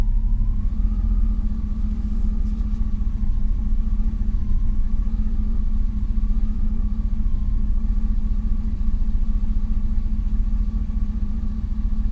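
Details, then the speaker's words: 2000 Chevrolet Silverado, 19 years old, just after starter replacement and ECU reset: low steady rumble with pitch wandering up and down, no throttle, almost stalling as idle speed hunts while the computer relearns idle. "all right so I got the idle procedure learned my foots not on the gas she runs good comes back down almost stalls because it still doesn't quite know where it's got to be yet but it'll figure it out"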